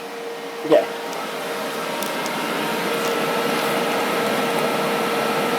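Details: Old desktop PC with upgraded case fans blowing in and through: click at switch-on, then airy fan rush swells into loud steady hiss with faint tone, excessively noisy cooling fans.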